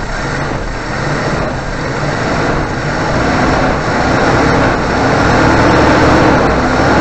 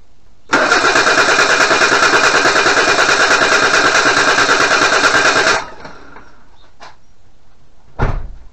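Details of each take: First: 1988 Suzuki Vitara 1600 carb engine after fitting temporary electric fuel pump in place of mechanical pump: steady even running with no stumble or surging; fuel delivery good, normal running. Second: 1988 Suzuki Vitara 1600 automatic, first start attempt after sitting 18 years: steady cranking about three turns a second, even compression, never fires; crank no start, later traced to fuel pump fault, converted to electric pump.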